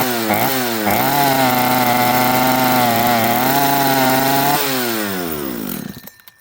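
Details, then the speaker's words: Chainsaw after carb kit install, metering lever set too high: revs up then sags and wavers, can't hold clean high pitch, dies off, won't throttle cleanly; spitting fuel from muffler joint, air horn wet with fuel; rich mixture. "Um, this saw won't throttle up cleanly. It is absolutely Look, look at the muffler. It's spitting fuel out of the muffler in between where the muffler attaches."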